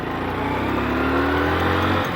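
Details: Motorcycle that stalls when slowed. The engine note pulls cleanly and evenly as revs climb, with no stumble, miss or knock, so the pickup sounds healthy.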